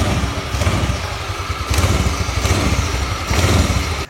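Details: Old Honda Vario carburettor scooter after CVT rebuild (new pulley shaft, bearing, pulley, roller housing, NPP roller fan, BRT belt, 10 g rollers): steady low drone with gentle revs, the former clicking gone; CVT running normally.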